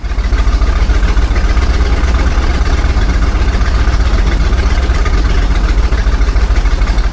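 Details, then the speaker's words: 1978 jet boat Ford 460 big-block: lumpy idle stumbling every cycle, number seven cylinder suspected dead; compression check showed only 50 PSI there, owner leaning toward intake manifold or broken gasket issues. "do a quick compression check on the cylinders. Starting with number seven because I don't think that one was running."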